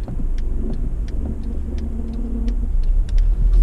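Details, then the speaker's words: Acura TL SH-AWD 6MT with new Spec Stage 3+ clutch and lightweight flywheel: low rumble with steady groaning hum, loud on cold start and fading when warm; clutch or throw-out bearing suspected, unconfirmed. "it sounds like a Chewbacca noise I guess you could say it's kind of like it's hard to explain the sound but it's kind of a weird sound but after a while I'm driving it it goes away but on a cold start or where it's not warmed up it's really loud"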